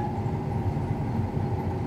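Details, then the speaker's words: Combine harvesting milo, diesel engine surging under load when the header is engaged, heavy drone swelling and sagging in slow waves; monitor shows stop codes including hydraulic charge pressure switch problem; cause unconfirmed. "Do you hear it surging? It's going in and out right now."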